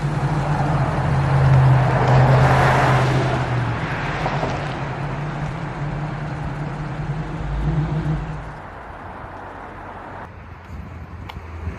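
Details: Flood-damaged 1979 Chevrolet Camaro Z28 V8 right after a short test drive, not yet fully at operating temperature: deep steady low rumble settling smoothly, no misses or knocks; good running, normal idle.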